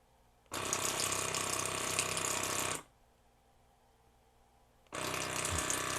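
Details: Waterpik SF-03C/SF-03W cordless flosser that had intermittently stopped working, floss button pressed: two bursts of steady fast buzzy pulsing with a gap; pump delivering water normally.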